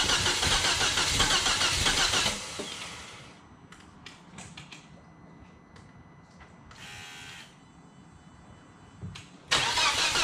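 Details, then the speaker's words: Volvo S60R, first start after engine shimming and reassembly, coolant not yet fully circulated: engine catches with sharp rapid puffing tick about four a second, then quieter; sounds like exhaust leak, possible misfire, connections to be rechecked; exhaust puffing noise at idle. "that sounds like an exhaust leak right there all right we can feel some coolant it started sounds like a misfire"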